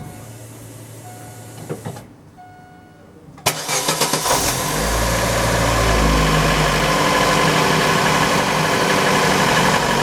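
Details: Daewoo Lanos after tightening the slack air-conditioner belt at its tensioner: the engine cranks, catches and settles to a steady idle with the AC on, with no belt squeal or whistle; normal idle, whistle fixed.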